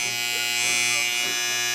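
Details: Wahl 5 Star vibrating clipper after service: oiled, tension adjusted, the blade can't be stopped. Clean, steady high-pitched buzz with no rattle or stutter. Normal running, properly tensioned.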